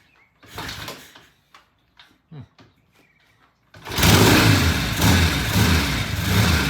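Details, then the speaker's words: Vintage British motorcycle, cold start: a few hard kicks after tickling the carburettor, then the engine catches and settles into a loud, steady thumping idle; normal cold start. "y this is a cold start so it may take a few kicks and this and these things are hard to kick"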